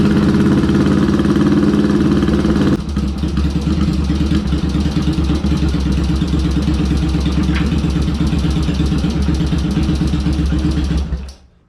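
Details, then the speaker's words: Yamaha XS650 with BS34 carbs, pilot screws about two and a quarter turns out, second plug wire reconnected: steady, even low thumping idle firming up as both cylinders fire cleanly; idle pretty darn close before balance check. "that's pretty darn close"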